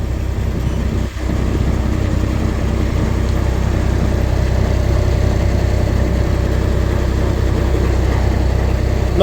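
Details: Skyjack scissor lift engine started with a temporary wire bypassing the blown fuse. It holds a low, steady, even idle at about four beats a second: normal idle. High starter amp draw had blown the fuse.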